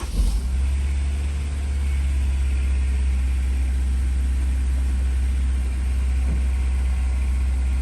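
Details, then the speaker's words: Honda S2000 after exhaust repair with new Honda gasket and codes cleared: steady, even low idle with no ticking or puffing, settling after a brief rev; smoother, exhaust leak gone, idle expected to drop as it warms. "certainly sounds a bit smoother already there's no more exhaust leak should we let it warm up a little bit that idle will come down"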